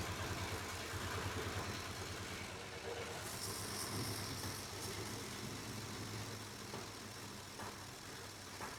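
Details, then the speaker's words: 1981 Jeep Wagoneer Limited, AMC 360 V8, after sitting 20+ years, with the choke held open: runs smooth but holds a raised idle that will not come down; oil pressure gauge reads about 4. High idle. "Is this thing gonna come down and idle? You're kidding me."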